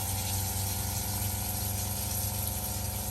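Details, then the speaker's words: New SEAFLO water pump replacing a loud original in a caravan RV, microphone near the pump with tap on: steady, low, even hum with faint whir, no knocking or surging; much quieter, improving as it bleeds. "It's definitely a lot better than last time, and to be honest, it's probably getting a little bit better as it bleeds up, and each time I turn it on."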